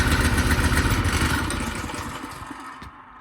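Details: Tote Gote mini bike single-cylinder engine, cold start with choke, after rewiring the ignition key switch; thumps along at a fast, fairly even beat, then eases down smoothly as throttle drops; runs normally.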